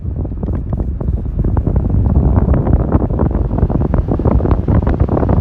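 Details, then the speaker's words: Ford Expedition blower motor after replacing failed blower speed controller (resistor) with OEM Motorcraft part: steady rushing air, low even hum, no squeal or rattle at high speed; full fan control restored. "all right and it looks like we got full control lower again so if you're having this issue uh check out that resistor or that speed controller"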